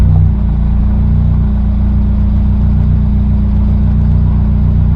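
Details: Track Honda Integra just after an Innovative oil pressure/oil temperature gauge install, already run a couple of minutes for a leak check. Steady, even low hum at idle with no ticks, knocks or misses; oil pressure reading decent.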